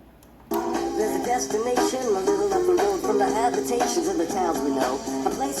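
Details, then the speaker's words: Cassette on a small mini boombox before repair: music comes out high-pitched and hurried with chipmunk-like voices; the tape is playing too fast, with the motor speed to be adjusted down. "I'm gonna try to fix this and slow it down a little bit obviously it's speeded up you could hear it it sounds like Alvin and chipmunks is singing"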